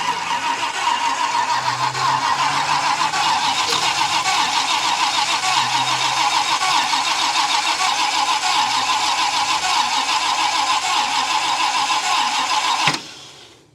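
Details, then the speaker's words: 1966 Ford Country Sedan after an engine overhaul, carburetor bowls primed with fuel: about thirteen seconds of steady starter churn with no firing. It cranks but won't start because the distributor was found 180 degrees out. "damn it if you're following along we're 180 [Music] out"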